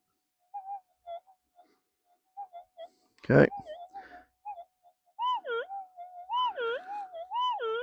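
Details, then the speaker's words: AlgoForce E1500 metal detector with 11-inch coil, gain at 28: steady mid-pitched threshold hum breaking into irregular chirps and warbling swoops, chatter from gain set too high; 25 sounds better. "I myself wouldn't operate with that much chirp if you can hear it it's too much"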